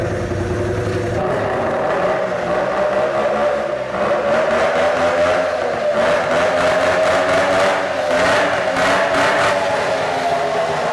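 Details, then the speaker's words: 750cc two-stroke engine in a golf cart build at its first fire after sitting. Steady buzz holds an even mid-pitched note at fast idle, with no knocks or misses: runs well considering it sat with dirty air cleaners. "everything runs slowly that's pretty good though for sitting and having all the dirt going air cleaners and all that"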